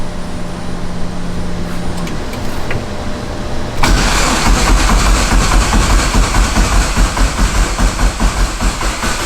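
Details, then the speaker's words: Dodge Neon SRT-4 with a Precision PT6062 turbo, first start-up after wiring and assembly: the starter cranks with a steady churn, about one pulse a second, but it never catches. No fuel pressure because the tank has no gas. "no pressure you ain't got no gas do it oh my god wow yeah i was supposed to go out and go get coolant and gas and i forgot to get gas"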